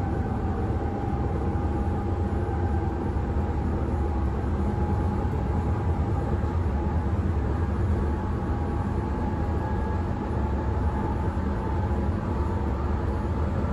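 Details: Berlin S-Bahn class 485 railcar 485 112-7, built 1991, at speed Schönfließ–Hohen Neuendorf on the S8: heavy constant low rumble, rattle and pounding, worse than the usual rough ride, from a severe wheel flat spot.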